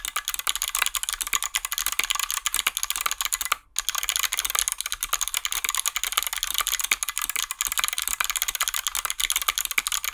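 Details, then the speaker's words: Hotswap 60% mechanical keyboard built without soldering, 61 keys: fast, even, loud clacking typing with crisp strikes and no buzz or rattle from the long keys; the stabilizers sound tight and rattle-free. "nice and loud as expected this does cover the sound of the snare glasses but you can also hear that there was no rattle because I lived them rather"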